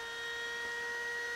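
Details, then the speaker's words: Macintosh II power supply during restoration, first power-on: harsh loud fan whine with steady high tones and hiss; fan sounds very noisy, power supply only partly working and needs work. "okay it turned on listen to that fan oh my God that thing is ugly or sounds ugly"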